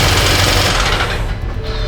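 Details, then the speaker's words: Auction-bought 2016 BMW F10 M5 running with heavy, fast repeating rod knock over low rumble, fading as it settles; engine considered toast and to be removed. "There you guys go, that's what rod knock sounds like, So the motor's toast."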